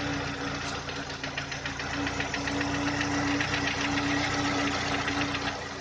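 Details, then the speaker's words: VW Touran 2010, 1.6 BSE engine rebuilt about 15,000 ago (oversize pistons, valves, hydraulic lifters), cold after two days parked: sharp regular tapping about four per second as idle falls below 1000 rpm, absent at higher revs, quieter when warm; cause unknown. "На высоких оборотах она не стучит. Греется. Обороты падают, и начинается стук."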